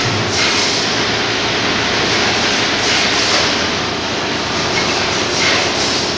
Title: Carriage Down Vibration Problem